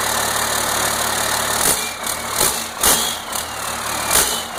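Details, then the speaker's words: 1992 5.9 12-valve Cummins diesel on its first start after a complete rebuild, with 12 volts now fed to the fuel solenoid: a hard, clattery idle with a few irregular louder thumps, but it keeps running; healthy. "anyway this is a a 1992 2 12 valve cumins Diesel and this is the first start since it's rebuild"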